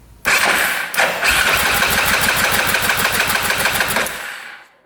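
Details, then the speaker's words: 2005 Yamaha Grizzly 660 ATV non-runner on a compression test, throttle open, starter solenoid jumped. Fast, even cranking at about three pulses a second with no stumble; it reads 180 psi, so compression is good. "That's perfect. 180 PSI. That's great. I was not expecting that. So, compression's good."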